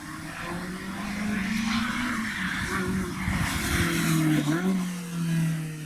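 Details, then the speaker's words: High-end car after repairs with a Novitec exhaust fitted: crisp clean revs rising and falling smoothly, deep even exhaust note, no misfire or stumble; normal engine and exhaust. "room man this novatech exhaust sounds amazing on this thing we got all the parts on everything's fixed it's running great"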